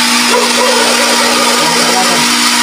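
Loud, steady motor drone with an even low hum and no knocks or surging over the whole run; pump motor running normally.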